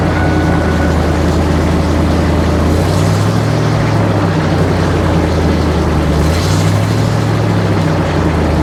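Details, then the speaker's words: 1999 Ford F250 V8 at idle after exhaust leaks were fixed and a 2.5-inch Thrush glasspack replaced the stock muffler: a deep, even low rumble with no puffing or ticking, sealed; quieter than before but louder than stock. "Yep. Sounds like a truck. It's quiet."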